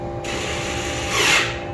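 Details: Short, even electric whir that swells briefly and cuts off cleanly: freshly rewired parking brake actuator on a DIY Tesla-motor electric kit car, cycling open and closed after cycling a few times, working normally.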